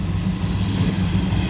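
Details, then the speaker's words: 1929 Chrysler engine idling after tweaks and wiring work, before first long test drive; owner says the motor sounds really good now and the fan works. Smooth, steady low rumble with even beat, no knocks or misses; normal idle. "Motor sounds really good now. I know the fan and everything works."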